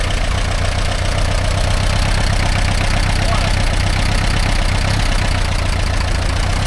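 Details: 1945/1946 Allis Chalmers Model B tractor, magneto ignition, barn-stored about 20 years, idling after dirt was cleared from the fuel supply: deep, even putter at about four beats a second, steady with no knocking; a healthy idle.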